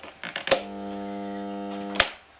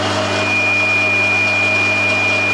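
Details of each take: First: Bosch garden shredder that had been running in random directions regardless of its switch. A switch click is followed by a steady hum for 1.5 seconds with no run-up, because the rotor isn't jammed but won't turn. The cause is unconfirmed. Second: Bosch 2000 HP AXT garden shredder, about 10 years old, running forward (downwards) after replacing faulty unpolarized capacitor; had run in random direction regardless of switch. Steady mains hum with clean high whine, smooth and healthy.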